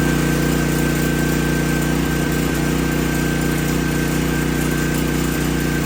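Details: Old 5500 W gas generator (one of a McCulloch, Briggs & Stratton and Troy-Bilt set); constant-speed drone with smooth, even beat, no misses or knocks; running normally.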